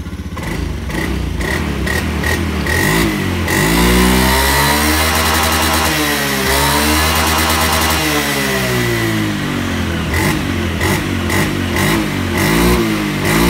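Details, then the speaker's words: Honda Beat FI automatic scooter carrying two riders after a gear oil change, tested gently: engine note climbs smoothly from idle to a strong high-rev pull and falls back cleanly with no slipping or rattle; top-end pull restored, normal acceleration. "hey sudah sifat boncengannya berdua sama kakak saya sayang ngetesnya itu apalan pelan kalau matic ya pelan-pelan tapi udah ngangkat tarikan atasnya udah dapet tadi"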